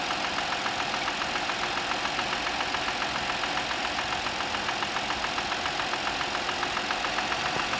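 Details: Audi A6 C6, cold morning start: an even, sharp knocking about three and a half per second over a steady idle. This is a cold-start engine knock, cause not pinned down.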